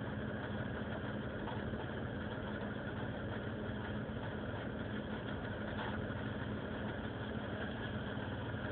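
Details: Vauxhall Vectra GSi 2.5 V6 at idle: uneven, lumpy beat of about three pulses a second that never settles; rough idle, cause not stated.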